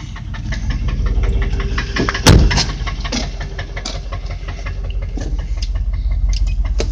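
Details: Land Rover Discovery warm after 30 minutes of running, sharp steady ticking about three times a second over a low idle rumble: an exhaust manifold leak.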